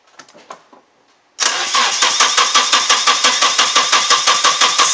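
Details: Nissan 240SX with a freshly swapped engine: steady starter cranking at about three beats per second with no firing at all; the distributor was installed 180 degrees off, and the engine ran once this was corrected.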